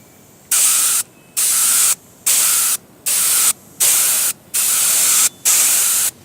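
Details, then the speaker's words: Paasche airbrush on a Master Airbrush TC-40T compressor, paint thinned about 50% with water: bursts of steady hiss about a second long with short pauses, even and unbroken; spraying normally. "I'll figure all that out some other time, but at least it is spraying now, so let's watch."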